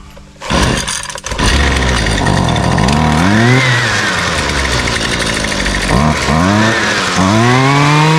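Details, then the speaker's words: Husqvarna string trimmer the customer reports won't run, primed and choked with switch on: repeated rising whirs from the recoil pulls with no catch or firing; the trimmer turns over but never starts. "Well, that's the second video in a row that I've had doesn't run."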